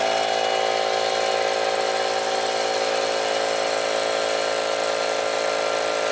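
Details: Harbor Freight Central Pneumatic 125 PSI air compressor that would not pump up or hold air, after reed valve fix and refitted fittings: steady fast pumping chatter, about three beats a second, with a high whine; runs evenly.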